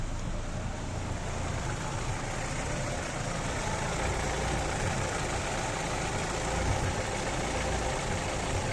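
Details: Daewoo Racer GTI, hot engine: idle wavers and stumbles with no steady beat, engine shaking. Rough unstable idle when hot, possibly a misfire.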